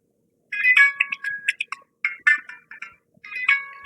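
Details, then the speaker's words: OPPO K3 phone with a ringer-not-working fault, after replacing the faulty audio IC: a clear melodic ringtone plays in short chiming phrases, loud and undistorted, so audio output is restored. "So audio என்ன ஆகுது, வருது. சரிங்களா, so இப்போ இதில் என்ன problem, IC தான் பிரச்சனை."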